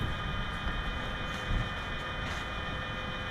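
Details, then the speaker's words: Paint booth air makeup unit during start-up, fans ramping up once the damper actuator reaches fully open, steady low rumble of moving air with even tones and no rubbing or knocking; normal fan run-up. "can hear the fans beginning to ramp up and that is basically 100 open in that position"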